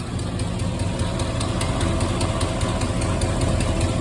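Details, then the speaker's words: 1972 Chevelle V8 at idle: light quick ticking keeping time with engine speed; owner suspects a loose lifter, commenters suggest an exhaust leak, source unconfirmed. "loose lifter but if you can hear it it's a ticking noise they saying exhaust Le in the comments but I'm thinking loose lifter"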